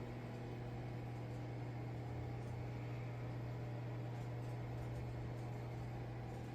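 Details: BLUETTI Elite 100 V2 power station (1,800 W, 1,024 Wh, pure sine wave) unplugged from the grid and running a small microwave from its battery: a steady low hum and even fan whir with no rattles, normal running.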